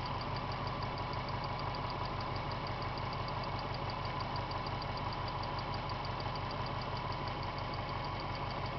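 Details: 1998 Subaru GT at idle, hot after revving: light fairly regular tick near three per second over the engine note, appearing once hot; cause not confirmed.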